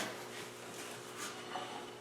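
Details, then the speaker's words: Wheel spun by hand with the vehicle on jack stands during a brake and suspension recheck: quiet, even whir with no grinding, rumble or clicking, and only a tiny normal wiggle; the wheel bearing sounds healthy. "no appreciable noise and just the tiniest"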